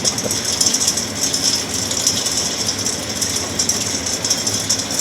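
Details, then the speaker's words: Axeman-Anderson 130 coal stoker heating a Mahoning 500 wood boiler, one week in, sending 180°F water, draft -0.02 to -0.04: steady hiss and light rattle, continuous even run, no knocking or grinding; cycling normally. "there it is it's running we're sitting here watching it very entertaining"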